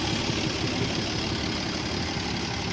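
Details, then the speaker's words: 1967 Jeep Gladiator with 6,000 original miles, dormant over 40 years, just revived, no exhaust fitted: steady idle with an occasional stumble; carburetor idle mixture too lean, then richened by adjustment; lean idle misfire. "every once in a while you can hear it kind of tough like it just misfires a little bit it's a little bit lean"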